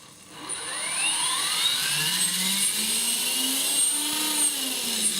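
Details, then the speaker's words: Trex 450 Pro DFC RC helicopter on Turnigy 2200 mAh 3-cell LiPo with 3GX, now working after repeated ESC programming-card changes: smooth rising whine spooling to steady high pitch, no rattle or stutter; normal running. "Very nice, very smooth. just like it should be."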